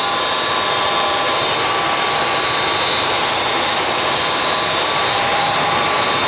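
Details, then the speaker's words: Goodman gas furnace running normally after a new control board replaced the burnt one (burnt main power wire, burnt smell, no heat; possible earlier lightning damage); constant even roar of burner and blower, no cycling, rattles or surges. "put a new board on it she fired up everything's running properly"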